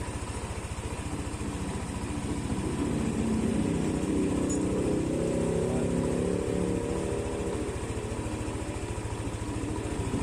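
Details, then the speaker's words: Yamaha NMAX scooter, 5877 km, over 2 years old, engine suddenly got noisy, likely failed tensioner; after repair, reassembly and coolant refill: even, quiet putter holding steady for ten seconds with no top-end rattle or tapping; normal idle again. "Ayan po, tahimik na po siya. Balik na po sa dati."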